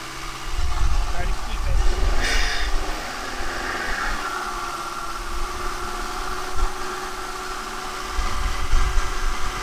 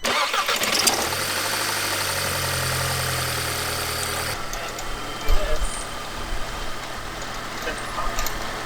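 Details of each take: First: 2006 Audi A3, 183,000 miles, held at 2000 rpm during intake valve carbon cleaning: surges and sags unevenly as cleaner is drawn in, running poorly and stumbling; check engine light may flash; process runs about nine minutes. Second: 2006 Audi A3, 183,000 miles, just after a new part fitted so it no longer stumbles with the dipstick pulled: catches and settles into a steady, even low idle with no stumble or hunting; better throttle response, though intake-valve carbon remains.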